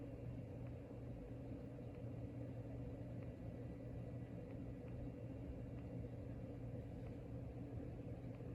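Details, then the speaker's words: Locke Saratoga (Evergo "banana") ceiling fan with 15-degree blade pitch at full speed: quiet steady low hum with a faint buzz, no rhythmic or scraping noise; much quieter than at lower speeds, bearing has quietened. "And now it runs much quieter. Still hums a little bit, still buzzes, but nothing like it was on the lower speeds."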